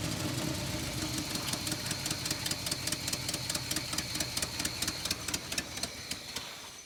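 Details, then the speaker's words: 1970 Chevrolet K10 4x4 pickup abandoned 26 years, compression tested with uneven readings: uneven idle with irregular loping beat, two or three stumbles a second; still a dead cylinder or big miss, though better than before. "I think it's better but still sounds like it's got a dead hole or a big Miss"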